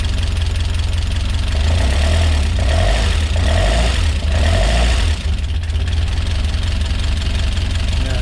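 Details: Rebuilt Peugeot 205 GTi Mi16 on first start: a fast, loud idle with a busy, uneven clatter on top. Tappety ticking at idle; owner hopes it clears up after a while, cause not confirmed.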